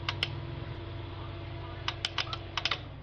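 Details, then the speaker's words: AV-602A amplifier powering up after being cleaned. Sharp, irregular clicks come in quick clusters over a low hum, and the clicking persists. This is protection relay chattering from a relay driver fault. "So nandiyan pa rin. Lumalagitik pa rin."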